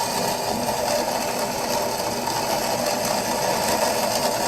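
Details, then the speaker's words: Acrylic centrifugal pump trainer driven by an electric motor via magnetic coupling, water throttled through a restricted valve so vapour bubbles collapse: dense, steady gravelly crackle of cavitation. "and what happens is those vapor bubbles collapse back into liquid and that's where we get the cavitation"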